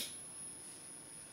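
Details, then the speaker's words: Homemade Re-EMF charger for 10–11 NiMH cells in series (about 15–16 V), only pushing about 200–220 mA: faint, steady high-pitched coil whine; a small magnet held near changes the noise and raises current to about 300 mA. "wo die Agust dann aber nur mit 220 mampere vollhaut ist ja scheiße und ihr hört's pedchen tut er nämlich auch dann ist mir in den Sinn gekommen dass man gegen das pfiedchen mit einem kleinen Magnet vorgehen kann"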